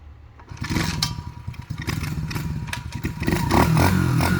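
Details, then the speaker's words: New, factory-assembled X-Pro 125cc youth pit bike (Bolt), kick-started: a few kicks, then the small single fires straight up and settles into a steady crackling run; a healthy start. "But once he gets it, he can ride a piece of cake. It turns right on."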